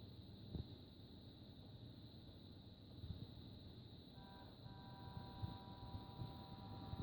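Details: Seagate 8TB ST8000DM002 hard drive idling in a booted computer: a low hum and steady hiss, then a cluster of thin steady tones from 0:48. Abnormal idle noise.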